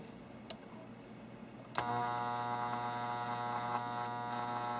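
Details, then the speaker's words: Atari Audio Regulator AR2 driving a cabinet speaker, speaker two under a one-amp load: steady low buzz with a fine ladder of overtones rises when the load comes on; owner suspects power-supply ripple voltage causes it. "reset that was on speaker two with a one amp load because i think this is the how much buzz we have has to do with the ripple voltage"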